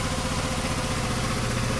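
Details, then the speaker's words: GY6 scooter engine just after starter repair (oil-filled starter with shorted winding fixed, resealed, new O-ring): fires right up into a steady, even idle putter with no knocks or misses; normal idle. "okay it's all back together I'm going to give it a try I got this taped so I have to hold it like hold the camera go on fires right up"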